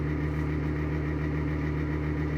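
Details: Exhaust fan running at constant speed with a rough droning hum and gritty, vibrating edge; worn fan bearings, though the fan still works.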